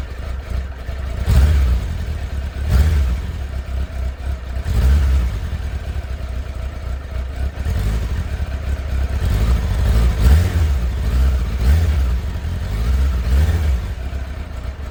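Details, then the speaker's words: Motorbike started from cold with choke on, revved only lightly: it catches and takes a few throttle blips, revs rising and falling cleanly with no knocks; a normal healthy cold start on choke. "that was a bit of a start with the choke on from a cold start so I can't rev it too much"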